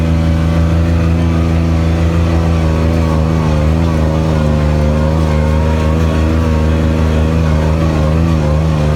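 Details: Kubota RTV900 diesel utility vehicle, after hydrostatic transmission repair (charge pump, brass wear plates, relief valve, filters, oil), climbing a very steep hill without problem. Deep steady diesel drone holding firm under hard climb, no hunting or slipping; normal hydrostatic drive under load.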